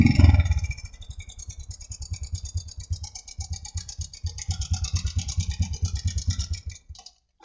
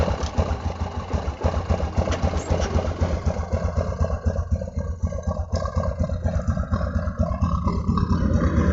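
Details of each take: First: Honda Supra X125 with rough engine noise: uneven clattering idle about three beats a second, worse at idle and partly easing when revved, seemingly from the cam chain side; slack cam chain. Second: Honda Supra X125 brought in for rough engine noise, oil level fine and recently changed, started to check oil pump: settles into fast, fairly even idle with steady beat, no clatter; engine smooth, normal idle.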